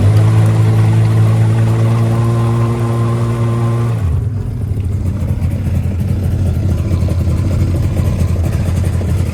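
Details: 1996 Tigershark jet ski two-stroke, revived from non-running, idling from a cold start while cooling water lines are checked for warm-up. It holds a steady, even low drone with no misses, then water and exhaust rush takes over: a normal idle.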